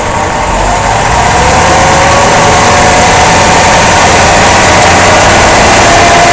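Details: 2005 Jeep Grand Cherokee driving, loud road rumble with a repeating thump about three times a second; caused by a worn front drive axle support rubber bushing and a bad front driveshaft U-joint, which was replaced.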